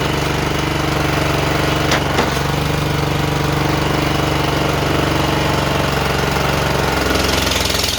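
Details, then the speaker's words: John Deere JX85 commercial walk-behind mower after repair of hard starting and surging: steady, even roar with blades engaged, no surging; running healthy. "I'm not hearing any surging I think we took care of it whatever it was"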